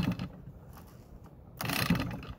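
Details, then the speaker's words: Stihl hedge trimmer small engine, spark plug in place but no compression: two quick recoil-starter pulls bring a light, rapid clicking and ratcheting from inside; piston still moves, cause unknown, trimmer replaced. "The piston is moving up and down, but I don't I don't know what that noise is and that's not good."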